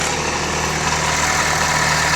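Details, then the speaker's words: Idle with clutch pedal pressed: harsh metallic rattling chatter that disappears when the clutch is released; gearbox oil showed no metal filings, caused by a damaged dual-mass flywheel. "En esta ocasión tenemos un vehículo que, como logramos observar en el video, sale un ruido al pisar el clutch y desaparece al soltar el clutch."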